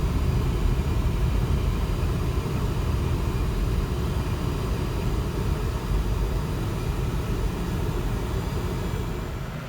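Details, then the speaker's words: 2007 Lincoln Town Car being rebuilt after a wreck, running again after a radiator replacement. Deep V8 idle with an uneven puffing pulse of about four a second from an exhaust leak on one side. "The exhaust leak is coming from this, no man, not this side. This side over here."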